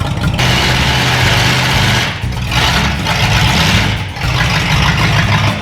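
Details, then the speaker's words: 1965 Dodge Coronet, an old vintage project car just bought. Heavy, lumpy low rumble with revs sagging and recovering every couple of seconds; runs rough but well enough to drive into the shop, cause still unknown. "so i started it when i got it home from power one after i bought it and it runs it runs not good but it runs good enough to get it in the shop so we'll do that"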